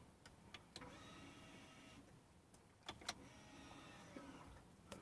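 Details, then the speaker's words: BMW after electric parking brake fault was reset by pulling and reinserting its fuse, engine switched off: brief soft actuator motor whir for a couple of seconds among light clicks; parking brake applying normally. "if I turn the car off I can just I just heard the break go on and you might just hear it"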